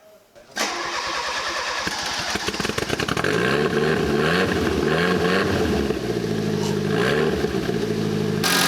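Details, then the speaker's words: Fiat Uno Turbo stored 16 years, first start after restoring spark: a few seconds of cranking, then catches and runs evenly with no misses, smelling rich; normal start. "sounds all right that sounds really sweet"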